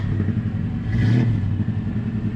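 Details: 1974 Chevrolet C10 V8 running after driveway starter replacement: deep, even rumble swells cleanly as the throttle is blipped and settles back, no knocks or misses; healthy.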